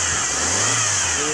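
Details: 1996 Toyota Corolla 4A-FE four-cylinder after misfire repair: short rev climbing and falling evenly with no stumble or uneven pulses; engine now running smoothly.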